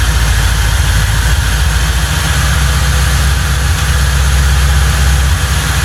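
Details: 1995 Lincoln Mark VIII with forged-internals 4.6 4V DOHC V8, after transmission pulled and refitted: deep steady even rumble with no knocks, ticks or misses; running smooth and healthy.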